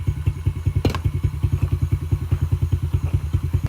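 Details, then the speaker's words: Old two-stroke dirt bike sat unused for years, first run after carb reassembly with a needle spring missing: steady even popping idle about 2.5 beats a second, no misses; healthy idle. "oh my goodness she sounds like she rips idle and"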